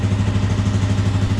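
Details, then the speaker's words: Suzuki 400 motorcycle after the blocked gas-tank vent fitting was removed (fuel was starving for air, owner had suspected head gasket); steady, even low thump at idle, no misses, running like a champ. "Running like a champ. She's beautiful."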